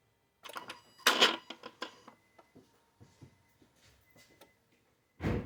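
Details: 2009 Infiniti FX50, engine bay, bank two (passenger side) throttle body after gas pedal jabs and key-off: soft clicks and clunks then a final thump; normal throttle body closing, nothing wrong.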